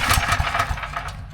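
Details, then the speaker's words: Briggs & Stratton 6,250 W gas generator, oil level checked OK: quick pull-cord chuffs turn the engine over but it never fires and dies away; fouled spark plug. "Long story short, I could pull this for another 20 minutes and nothing's actually gonna happen. So it kind of turns over, but doesn't actually start."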